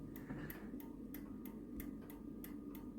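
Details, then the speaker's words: 85-year-old 1939 novelty ball clock after pivot repair, on bench with background noise: crisp, even ticks about three per second, steady and unbroken; running normally but slow, pendulum bob to be raised. "but here is the little guy and uh she seems to be going pretty good I don't know if you can hear it kicking away"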